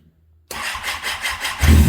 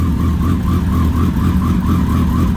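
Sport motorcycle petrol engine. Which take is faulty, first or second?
first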